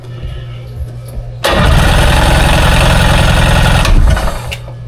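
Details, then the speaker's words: 2001 Ski-Doo 3-up jet ski during a compression test, throttle floored, on a jump box: steady, even cranking chug, about three and a half beats a second. Good compression, nearly 210 psi on the first cylinder. "Well, looks like we're right about, not quite 210, but man, that's plenty of compression there."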